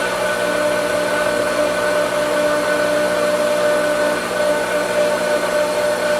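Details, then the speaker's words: Pool pump switched on in vacuum mode after vacuum line was sucked dry: steady motor hum with airy whooshing water rush as it draws air trying to regain prime. "Turn the pump on. Now, you got to test prime. Remember, it sucked a lot of air, so it's got to get that working."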